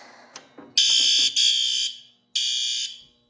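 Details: Fire alarm panel demo board, previously repaired, with many troubles showing, system test pressed: several relay clicks, then three shrill alarm blasts of about half a second each. Fire alarm sounding normally on system test.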